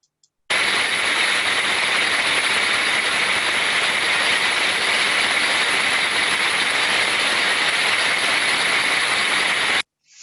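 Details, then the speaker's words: Ultrasound recording of a gearbox after its oil was replaced with the correct type: an even, smooth hiss with only a faint slow waver and no knocks or grinding. Normal, well-lubricated gearbox running. "we can now see that we have a much much more improved sound quality it is more smooth and uniform with very slight modulation sounds to me"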